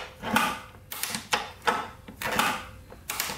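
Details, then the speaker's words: 1996 Suzuki RM125 two-stroke dirt bike, died after a big pop while riding, seller reported blown head gasket; kicked over by hand, sharp metallic knock each kick from bottom end, possibly crank; connecting rod bearing knock. "A couple things wrong with it when you kick it over. Listen to this. Hear that knocking? That's not good."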